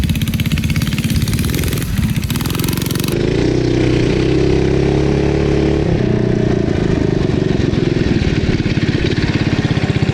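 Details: 1971 Go Devil Model 104 mini bike with a Tecumseh HS40 single-cylinder engine, direct drive, being ridden after its revival: it runs and pulls steadily, pitch rising and falling with throttle, no misses or knocks; healthy.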